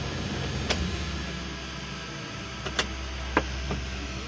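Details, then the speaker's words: 1995 Daihatsu Zebra Espass 1300cc, engine just shut off after a drive with temperature rising: a steady low electric hum with a few stray clicks from a small fan placed up top in the cabin. Normal fan hum. "nah jika teman-teman tadi mendengar suara dengungan ini suaranya dari sini nih kipas kpasnya saya taruh atas teman-teman"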